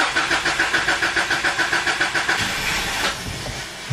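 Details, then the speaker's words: 2004 Subaru Legacy Outback wagon, fuel pump fuse pulled to depressurize fuel before in-tank fuel filter change: starter cranks steadily about 3.5 turns a second, engine fires briefly then dies; fuel depressurized. "start a little bit and so that's probably probably good enough it's now the fuel's been depressurized"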